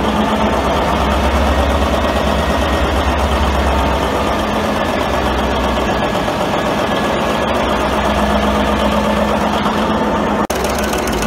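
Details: 1942 Cleveland 8-268A inline 8-cylinder two-stroke Roots-supercharged diesel generator engine, USS Stewart engine room, first start after 72 years idle; heavy, even clatter about four beats a second over a deep rumble, no misses; normal running.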